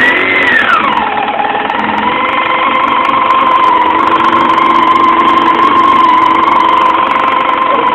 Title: Yamaha YZF R6 99 Engine Problem Bad Sound